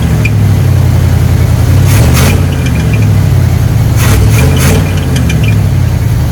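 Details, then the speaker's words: 1976 K5 Blazer, off the road since 1997, after lubricating the seized carb secondaries: a steady deep rumble at an even, slightly raised idle without hunting; improved but not perfect, owner suspects a vacuum leak. "I still feel maybe some vacuum leak but now it at least goes down in RPMs a lot better"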